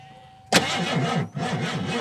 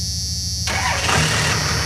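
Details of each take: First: 1987 Ford Crown Victoria that sat during quarantine, low on fuel: labored uneven cranking sagging and surging without catching; slow crank from weak, flat battery. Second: Second-generation truck with a 5.9 Cummins, started after sitting during quarantine: a brief crank, then it fires at once and settles into a steady, even diesel clatter at idle. A normal, healthy start.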